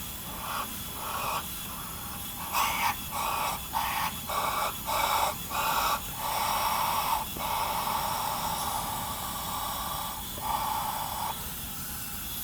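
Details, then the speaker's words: 1990 Onan P218 18 hp twin with low compression on one cylinder (90 vs 120 psi); leak-down test gives short hissing bursts from the exhaust port, exhaust valve suspected carboned up, head to be pulled: exhaust valve leak. "yeah definitely get some leakage here in this this exhaust Port the exhaust port's leaking I could hear it"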